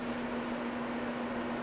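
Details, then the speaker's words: Restored electric shop furnace set to heat: a steady, even fan roar with a constant low hum and no rattle; the blower and controls work, but the coils never get hot. Owner suspects the control circuitry or the heating coils. "They're not hot yet. Alright, well, it never actually heated up, so I think something's wrong with the control circuitry or with the heating coils, so oh well, couldn't be that easy."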